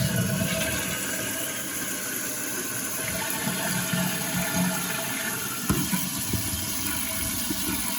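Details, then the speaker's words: Running toilet with "phantom flushing" (refilling in short spurts by itself), heard with the tank lid off before repair. A continuous hiss of water trickling and refilling without pause; suspected worn flapper. "We have to take off the lid and see what's going on. By looking at this, I'm going to say this is probably a flapper issue."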